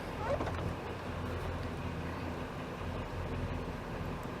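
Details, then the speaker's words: 2006 Ford E350 5.4L V8 idling with an uneven, stumbling beat, missing on cylinder 8, with O2 sensor codes and possible exhaust manifold leaks. Swapping coils moved the misfire to cylinder 4, pointing to a failing ignition coil. "it's definitely missing on at least one cylinder"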